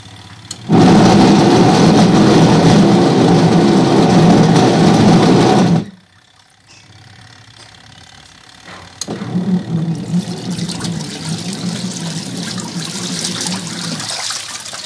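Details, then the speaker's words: Top-load washing machine that is very noisy and barely spins: loud rough grinding roar that stops and starts; suspected worn, loose gearcase, not confirmed. "maingay na washing machine napakaingay guys washing machine yan Ito ang gagawin natin ngayon"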